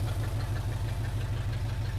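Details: 1980 Chevrolet C10 Cheyenne square-body, first start, open headers: deep steady lumpy idle, no ticks or knocks, all cylinders firing; oil pressure built and oil reached the rocker arms.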